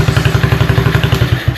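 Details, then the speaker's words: 125 Blazer RFZ sport quad single-cylinder engine during tune-up, exhaust warm, open airflow with ill-fitting air filter; quick even thumping then fades and stalls, carburetor idle mixture screw needs tuning. "Yeah, that's open airflow, and it's nice to it, but as soon as it dies out."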